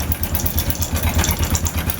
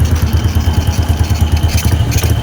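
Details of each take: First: Honda Wave 100 with a noisy engine, before teardown: small engine idling with a fast, even metallic clatter, about eleven beats a second over the thump; not a connecting rod sound, timing chain rattle suspected. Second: Honda Wave 100 after repair, with the block and valve seals replaced and the connecting rod not replaced: a steady, even idle putter of about three beats per second, no clatter or ticking. Normal idle.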